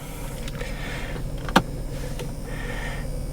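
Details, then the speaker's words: 1996 Mercedes-Benz S320 W140 inline six after replacing coils, spark plugs and wires to cure a misfire: even, smooth idle with a steady low hum and no stumble, one stray clunk; running cleanly again. "it immediately seems to be running smoother oh yeah she's happy again watch that that's just there's that silky smooth inline six goodness"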